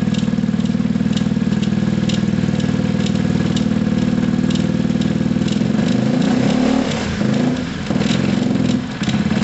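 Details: Gilera DNA 125 scooter with a damaged, partial exhaust, first start: low, loping idle that stumbles and sags when throttle is touched and won't take revs. Loose rear brake pad also rattles. Rough idle, will not take revs.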